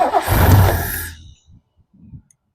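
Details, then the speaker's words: 1969 Lincoln Continental off the road 50 years; the accelerator linkage is stiff. Engine catches with a deep rumble but stumbles and dies as soon as the throttle is released: won't hold idle. "Soon as I let go, that thing is uh not wanting to run. As soon as I let go of that."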